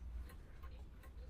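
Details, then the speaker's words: Humpback mantel clock started with a small tilt after the pendulum bob is refitted: crisp, evenly spaced ticks about three a second, like a metronome, with no limp. The clock is in beat. "Then when you do that, you should hear it ticking and it should be a nice even tick. Tick tick tick like a metronome."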